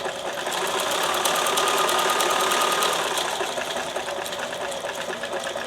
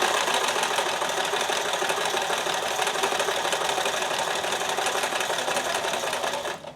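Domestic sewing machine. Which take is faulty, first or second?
second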